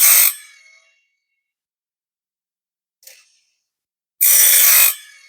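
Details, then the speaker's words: Woodland Mills RS30 Pro bandsaw sawmill blade sharpener: depth rod loosened to drop the grinding head closer to the gullet; two sharp, high-pitched grinding bursts, the second longer and heavier, as the stone bites the teeth; normal sharpening. "so again if I loosen this depth Rod it's going to allow the grinding head to drop down a little bit more now you can see but you can also hear the difference"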